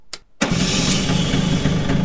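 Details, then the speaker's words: Vespa scooter, sitting unused for a while, started with the JF.EGWO 2000A 12V jump starter, one of five start attempts: brief crank, catches at once, settles into an even, steady run, with some smoke. Normal engine start. "Diciamo che un po' di fumo effettivamente è uscito, però comunque è riuscito ad avviarla senza problemi."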